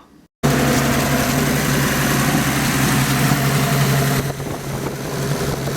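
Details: Turbocharged 250 six after rebuilding the turbo with a $50 kit and reinstalling it, first run: loud, steady, low drone with an even rhythm and no misses or knocks; idle much better than before.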